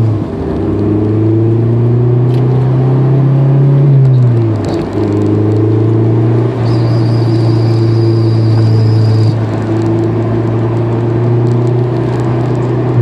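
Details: 2003 Honda S2000 in gear, front transmission area: engine pulls steadily, then sharp "pop pop pop" knocks as throttle lifts off; driveshaft has a few mm play, owner suspects a driveshaft-end bearing, clutch due for replacement; unconfirmed.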